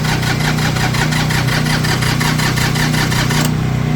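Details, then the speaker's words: Tractor diesel just fired on a cold morning with a hair dryer blowing hot air into the intake as a temporary fix; it knocks unevenly about 150 times a minute with a hiss, rough cold running as the owner says the glow plugs, or one of them, are bad. "my glow plugs are bad or one of them is bad something's bad on this tractor"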